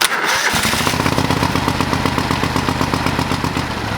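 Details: Old lawn mower, restarted after first run, still on old gas in the tank: catches within half a second and settles into steady even firing at about four beats a second; clean normal start and idle.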